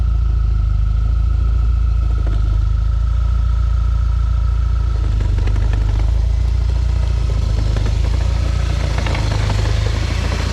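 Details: 2012 B8.5 Audi A4 S tronic/DSG with just over 120k miles. It rattles only in reverse under load, over a deep engine drone, and the rattle persisted after a dual-mass flywheel replacement. A gearbox specialist found a badly burned clutch caused by a faulty mechatronic unit.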